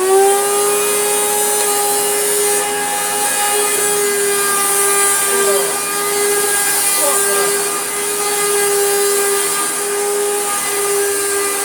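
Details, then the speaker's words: Panasonic MC-E465 bagged upright vacuum, after refurbishment with new belts, brush roll on, following years in a damp shed: steady, harsh whining motor roar with a rough edge throughout. The motor sounds badly worn, probably its bearings. "that is awful in fact i'm even more angry at myself because the other boat is in the bin i did think oh we could have a look at that motor it's probably just the bearings"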